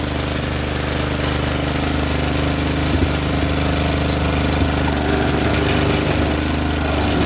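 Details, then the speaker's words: Honda snowblower with no drive: engine runs steady while irregular clicking and hitching come through the drive, which works briefly then stops and skips; possibly a broken final drive gear. "did you hear the clicking it was it was uh the drive would work a little bit and then stop and then sometimes I could you could hear the clicking"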